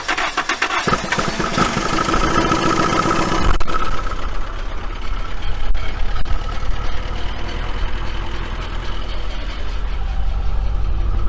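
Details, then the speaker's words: 1980 Dodge Colt Challenger (Mitsubishi Galant Lambda), sat 15–20 years, on jack stands without wheels, float bowl hand-filled (stuck needle): engine catches after short crank, runs steady and even in gear; transmission turns hubs, works. "i guess the transmission works [Music] well that's what we wanted to find out the transmission works or not and it looks like it does"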